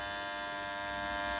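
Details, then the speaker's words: Pump panel contactor with motor drawing 9.6 A: loud, steady buzzy electrical hum; owner suspects dirt got inside and cleans it, but the hum persists after cleaning. "Galiba pislik kaçmış içine. Pislik kaçtığı için ses geliyor. Bunu temizlememiz lazım."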